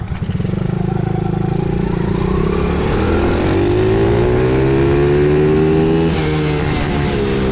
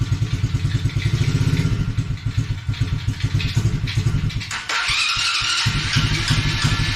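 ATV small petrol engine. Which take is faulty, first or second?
first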